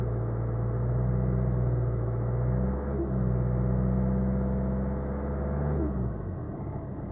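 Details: Renault Megane III 1.5 dCi, 2013, driving: steady low drone with a faint whining tone that holds, then falls away as revs drop. Owner reports one noise when releasing the accelerator and another at steady 1900–2000 rpm. Cause unknown.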